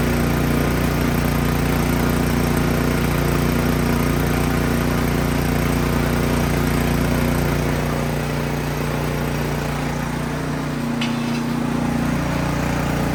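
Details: Craftsman snow blower single-cylinder engine after removing and cleaning the carburetor: steady, even putter about 220 beats a minute with no surging or stalling; runs normally.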